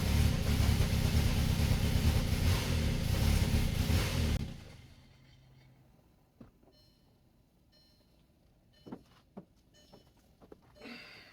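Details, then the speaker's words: VW Passat 1.8 TSI, first start of a used replacement engine: catches and runs ragged and lumpy a few seconds, then shuts off with clicks; all warning lights on, no knocking, possible backfiring; owner fears the timing chain. "So now we know it runs but it doesn't run well and all of the lights are on."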